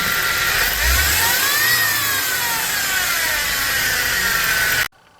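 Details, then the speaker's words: BMW four-cylinder N20/N26 engine quick rev with a harsh, sawing rattle and rising-then-falling whine, from timing chain stretch that can skip timing and lead to engine failure. "If your timing chain has timing chain stretch, it can cause it to skip a gear on the camshaft or crankshaft, and it can cause the timing to go out."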